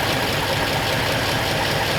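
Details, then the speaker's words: 1939 Ford Coupe engine idling after replacing a bad fuel pump, which may have had raised pressure overflowing the carburetor: even, steady idle with a soft busy exhaust note and no knocks or misses; running happily, normal idle. "Happily running. Yep. Sounds better already."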